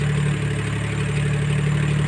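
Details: Suzuki multicab minivan idling after a Power Up combustion add-on was installed: low, steady hum with an even beat, no misses or knocks.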